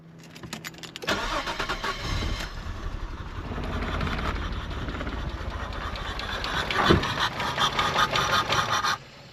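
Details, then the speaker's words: Nissan R34 Skyline parked outdoors 10 years, power and fuel prime present: starter spins the engine at a steady rhythm for about eight seconds but it never fires; crank no start. "So, I'll give it a crank for you guys and just show you guys it doesn't start."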